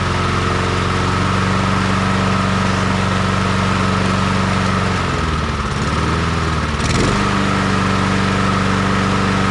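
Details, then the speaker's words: Honda HRR216 push mower revived after sitting disassembled for a long time, started with choke, oil in and fuel on: steady, even engine drone that dips briefly then settles; runs good, normal running. "Alrighty, that thing runs good. That thing's been sitting here taken apart at this guy's house for a long time."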